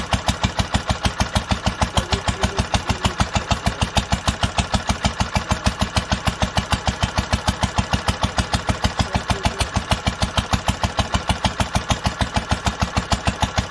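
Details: 1946 International Harvester LBB 3-5 hp water-cooled single-cylinder on first cold start after sitting long covered, started after two choked pulls; even steady firing about 130 beats a minute, no misses or knocks: normal clean running.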